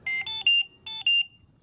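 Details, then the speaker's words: Philips Trilogy100 ventilator high-priority alarm: three quick high beeps followed by two, with the audio pause button flashing red. "that's three beeps followed by two beeps at the same time that the alarm sounds the audio pause button on the front of the ventilator flashes red"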